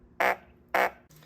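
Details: 2015 MacBook Pro 13-inch, playing through its own blown right speaker before the glue repair. Two short buzzy, farting bursts instead of clean sound; the cone is stiff and barely moving: blown laptop speaker.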